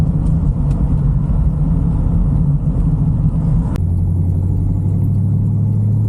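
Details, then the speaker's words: 1974 Bitter CD with Chevrolet 327 V8, warm, on a test drive under load after the misfire under load was cured with new HT leads, points and condenser. Steady rumble pulls cleanly through a gear change with no hesitation: normal acceleration. "running sweet problem solved all good"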